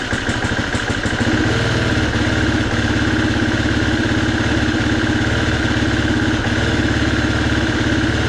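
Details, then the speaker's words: 2019 Husqvarna FE350, stone cold, after sitting in storage and an oil service. Idle barely holds, with a stumbling, skipping beat; it misfires and stalls in under a minute. The cause is not yet known. "You hear it missing, there it goes, and it just dies. And it hasn't even warmed up."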